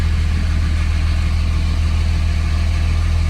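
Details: 2005 Dodge Ram 2500 diesel: steady, even low idle with no misses after starting on a newly changed, unprimed fuel filter; water-in-fuel light now off.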